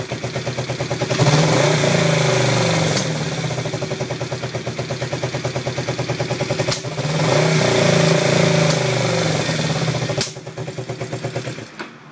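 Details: Yamaha XS400 twin after the owner's attempts to balance the carbs: uneven, pulsing idle surging and sagging between two throttle blips with irregular firing beats; rough idle, cause unknown.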